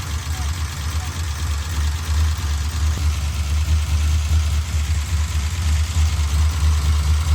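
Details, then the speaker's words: 1968 Dodge Charger 440 V8, noise appeared late in break-in after previously quiet: steady idle with light fast ticking keeping pace with engine speed, evenly distributed; rockers found very loose; valve train tick, possibly from loose valve lash. "At break-in, we didn't have any sort of noise at all. And then this kind of occurred towards the end of our last break-in / just running it to tune it."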